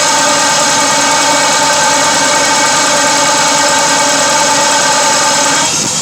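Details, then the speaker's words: 2006 Dodge Durango 4.7 V8 with bad misfire, injectors tested one by one: crisp, even ticking about four per second over steady hum; clicking is the injector opening, normal. "if you listen close you can hear like the clicking sound that clicking is the injector opening"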